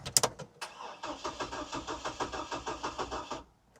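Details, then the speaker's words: Hummer H3 bought at auction as a non-starter, battery holding 12 V and boosted: starter spins the engine at a steady churn, about six or seven compression pulses a second, but it never fires. Crank no start; owner wonders if it has fuel. "All right. Okay, we got a crank, which is good news for the home team. I'll try boosting it again."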